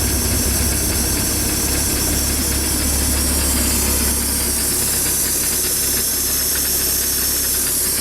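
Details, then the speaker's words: Bayliner 175 boat with MerCruiser 3.0 warming up to operating temperature: steady idle under a constant airy hiss that fades as the turn key start (TKS) system closes, idle smoothing out; normal. "so what I'm doing right now is I'm bringing the engine up to operating temperature this also allows the turn key start TKS system to go ahead and close as you're listening right now you can hear that hissing going going away also engine idle now is smoothed out"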